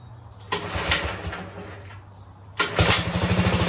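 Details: 1960 Wheel Horse Suburban 400 garden tractor, Kohler single-cylinder, after restoration: catches quickly and settles into an even, steady chug with no misses or knocks; normal running.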